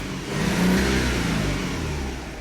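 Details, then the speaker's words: Hyundai Sonata with code P0335 (crankshaft position sensor) and intermittent hesitation: revs rise then sag unevenly with a rough, faltering note under throttle. Crank sensor connector to be checked. "so the engine i mean the rpm gauge is supposed to go higher than this but as you can as you can see it's falling on its face"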